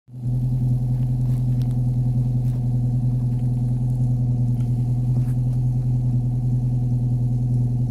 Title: Angry 4 cylinder commodore making noise